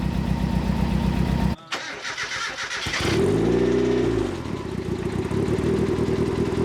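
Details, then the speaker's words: Turbo Miata on an e-tune, with the idle now set up properly: a steady, even cold idle with no stumble and a brief blip that settles back to a smooth, regular beat; the AFR reading is good and the idle is healthy. "That's a nice, smooth idle. Pretty good AFR reading on the idle. Even at a cold idle, this is really good."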